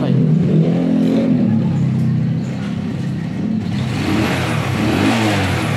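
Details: Kee 125 motorcycle, single cylinder, after carburetor adjustment for high fuel consumption: it blips up and settles back cleanly with no stumble or hesitation; the tune sounds right, though it stalled before readjustment.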